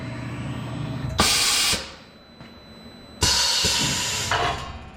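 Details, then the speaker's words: Automatic tool changer on a new shop machine that makes trailer lift blocks: two sharp air hisses with light clunks about two seconds apart as the carousel rotates, finds its slot and swaps the tool. A normal tool change cycle. "it rotates around, finds its slot, goes in, tool change."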